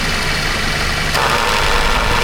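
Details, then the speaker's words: Toyota Commuter van, air-con compressor probably replaced several years ago: once the AC clutch engages, idle turns rough with knocking chatter that grows louder with revs and stops when the compressor cuts out; compressor failing, replacement requested. "ได้ยินเลยครับน่าจะได้ยินกันอยู่นะครับเสียงความนะครับถ้ายิ่งเร่งเครื่องยิ่งดังนะครับเพราะว่าคอเริ่มอ่ามีปัญหาเริ่มมีการีกหลอนะครับ"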